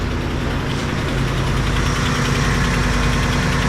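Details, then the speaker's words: Very low-mileage truck with check engine light on (earlier catalytic converter code): light, fairly quick, unevenly spaced tick over steady engine hum at idle; engine ticking, source unknown, owner wonders if it relates to the light. "wonder if you can hear that ticking on the video. But we had a check engine light on that truck."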